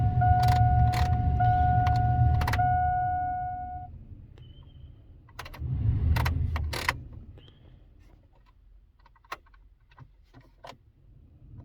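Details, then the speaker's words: Jeep heater blower fan in snowy weather: steady pure squeal over the fan rush for a few seconds then stops, not every time; intermittent blower motor squeal, suspected bushing/bearing. "We're gonna try to get this up against the shop here, and I'm gonna show you, there we go, show you, how to fix this squeak and everything."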